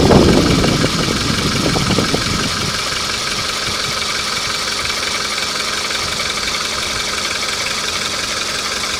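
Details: Hot VW Polo engine settling to a warm idle after some handling noise, with a light, steady tapping about four times a second; knock when hot, cause not pinned down.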